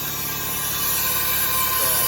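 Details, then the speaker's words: 1998 Ford Ranger 3.0 with rough running, cylinder leak-down test by compressed air with valves closed, engine rotated by hand: steady hiss escaping out the exhaust, suspected bad exhaust valve. "you also to hear that I believe to be a bad exhaust Val"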